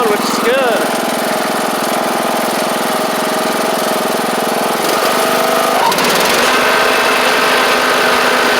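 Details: John Deere D110 riding mower with almost 400 hours, being driven out for a test: small single-cylinder engine pulls steady under way, even firing with no misses or knocks; runs healthy.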